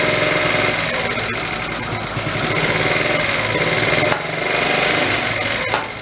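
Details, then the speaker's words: 1974 Honda Z50 monkey bike, restored but never run: small rattle at a buzzy idle; revs sag then recover when carb cleaner is sprayed near the intake, revealing an intake air leak; intake found loose. "it's got an intake leak right there as soon as I spray it you hear it drop off"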